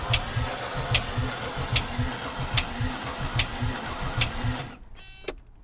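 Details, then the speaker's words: Mercedes 300D with OM603 diesel, sat in grass 3 years with water in the fuel system: slow starter cranking with a loud sharp click about every 0.8 s, never fires; sounds like no compression, tick suspected lifter or injector, unconfirmed. "sounds really unusual for a 603. A loud click. It kind of sounds like there's like no compression."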